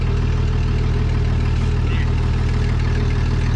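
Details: 1967 John Deere 4010 on propane, run after sitting for years with the PTO working and some smoke clearing: a steady, low, even chug at idle, about three beats per second, with no knocks or misses. Normal idle.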